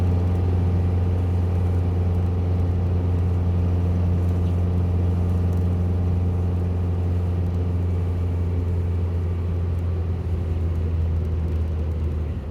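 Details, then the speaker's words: 1967 VW Bug after fuel-leak repairs, recorded from inside the car while driving, following street and freeway driving; even, deep rumble holds steady under way with no misses or stumbles: normal running. "okay the car seat has been running pretty good"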